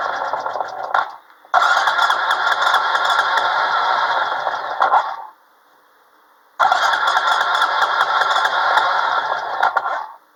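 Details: ATV cold start after starting fluid is sprayed into the intake: engine catches with a rough, uneven run, dies, then fires again briefly. It keeps going only on starting fluid.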